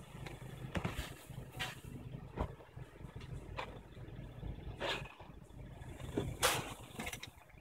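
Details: Honda Civic Si idling with irregular sharp squeaks/whine about once a second from the engine bay, mostly when the car or outside air is cold; recording exaggerates it.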